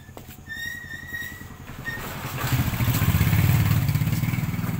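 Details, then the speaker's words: Rusi Macho 175 single-cylinder motorcycle started after an oil change, run 3–5 minutes to circulate the oil: catches after a few chirps and settles into a brisk, steady putter around three beats a second; normal idle. "Yan, start na natin yung ating engine para mag-circulate yung oil."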